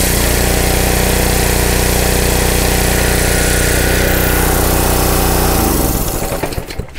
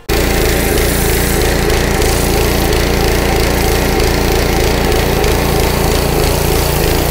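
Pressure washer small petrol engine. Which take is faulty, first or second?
second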